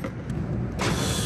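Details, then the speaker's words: Walk-in freezer compressor, previously spinning the wrong way and loud, is restarted with a 4 lb charge. It hums up smoothly into an even run with no labouring, now turning the right direction; readings are about 160 and 25. "oh that sounds better all right it kicked right on so far everything looks pretty normal"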